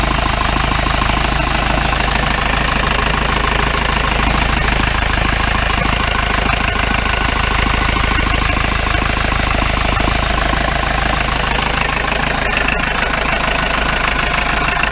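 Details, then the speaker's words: 1953 Mercedes 170D (W136) four-cylinder diesel, once-seized restoration project, at idle from the rear: hard, regular clatter of about three knocks a second; owner suspects worn injector nozzles, unconfirmed. "six seven eight nine ten cleared up a little bit i don't know i say new nozzles definitely not sound sweet though pressure yes it is"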